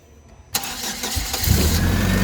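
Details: Hyster S70FT forklift, GM Vortec 2.4 engine, previously not starting and misfiring/backfiring, after replacing coil and cables: cranks briefly, catches at once, strong even run with smooth revving, no misfire or backfire; starts normally.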